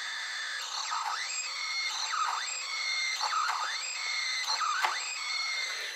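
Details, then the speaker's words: KTM Adventure big twin (1050/1090/1190/1290), ignition on, engine not started: a thin whistle from the throttle body below the cylinders, its pitch swooping as the grip turns; normal throttle-motor whine, separate from the fuel pump. "donc ça bruit tout à fait normal de la moto"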